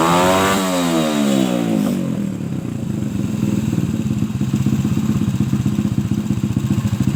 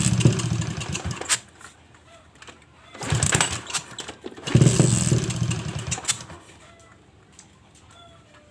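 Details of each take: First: Suzuki Shogun motorcycle, trail-converted, no air filter, after cleaning a clogged carburetor that hesitated on throttle and adjusting the air screw: rises cleanly on throttle and drops back to a quick, even beat without bogging. Finding: normal revving. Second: Suzuki Shogun motorcycle modified trail-style for heavy loads: engine catches in short bursts and dies right after starting, even with choke closed, as if fuel not flowing; bogs when throttled; owner suspects carburetor main jet clogged; fuel starvation.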